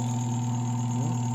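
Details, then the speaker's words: Spin dryer after repairing the broken lid-cover part that actuates the switch: steady, even low hum with no knocks or scraping; the spin motor runs normally again. "Paandarin natin. Ayan. Yan naman po ay gumagana"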